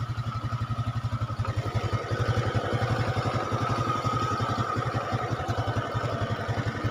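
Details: Honda Supra X 125 carburetor single-cylinder after cylinder block and head repair that cured a rough-sounding engine: even putt-putt idle at a steady beat, no grinding or rattle, smooth and healthy.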